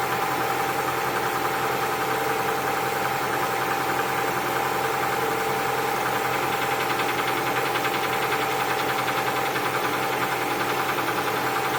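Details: Cold diesel at idle: dull knock repeating about two to three times a second; owner suspects piston knock, not confirmed; knock at cold idle.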